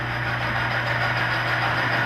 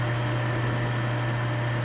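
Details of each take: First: Oil lubrication load-test rig under added weights: steady hum with a rough, rasping screech as load goes on, the oil film breaking down and metal scoring the test part. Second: Oil-test rig (rotating ring on a stationary specimen) running Cerma STM-3 additive oil at 12 weights, the rig's rated load; steady low hum with an even hiss, no knocks or squeal, never made a sound.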